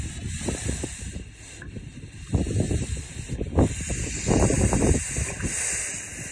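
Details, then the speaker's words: Ranch water line about one to one and a half miles long that had been run dry, refilling after snow: steady hiss with uneven gurgling bursts as the air release valve bleeds trapped air. Air release valve bleeding trapped air. "So I'm just sitting in my pickup here just waiting for the air to get blown out of the line"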